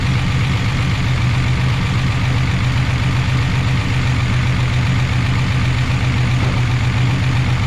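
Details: 1988 Chevy Camaro IROC-Z V8 after replacing lifters that would not stay pumped up and caused lifter noise: deep, even idle with a steady beat and no top-end ticking; normal idle.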